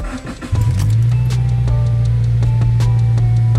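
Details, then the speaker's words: Subaru Impreza that had been running rich and throwing codes, now with a cat instead of cracked catless UEL headers and a replaced TGV, restarted during a relearn procedure (run 10 min, off 20 s): a clean, quieter cold-start idle with no ticking or puffing. "It's definitely a lot quieter. On a cold start, definitely because of the cat and everything."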